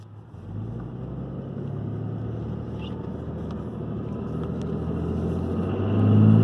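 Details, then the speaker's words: 2012 RAM diesel, VGT turbo (HE351) rebuilt, cruise control on at about 65 mph, around 1600 rpm: even steady drone under road and wind noise, no knocks or surging; healthy. "okay just look good right about 65 cruise control on"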